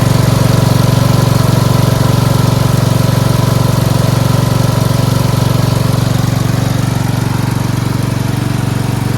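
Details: Four-wheel-steering lawn tractor "Rodimus Prime" with Nikki carburetor, after carburetor and fuel line replacement and ground fix: smooth, even single-cylinder thump at about four pulses a second, no stumbles or hunting, starts well; normal idle.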